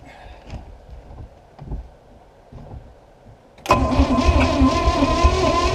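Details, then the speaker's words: Long-abandoned boat with crusty small-block Chevy V8, first start attempt after pouring fuel in the carb bowl; weak uneven cranking thumps, then a loud bang as it catches rough, backfiring a fireball out the exhaust from too much fuel. "you see that she popped a big fireball out the back"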